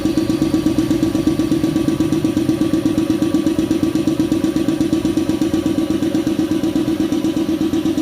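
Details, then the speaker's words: Shark 1 HP twin-cylinder belt-driven compressor (550 rpm, 83 L tank, 7 bar) filling its tank, which cuts out around 90: steady, even piston thumping with a fast, regular beat and no knocks or squeals; normal running. "Ya ini dia lumayan lama mengisi karena ini kita coba lihat kapasitas tangkinya ya"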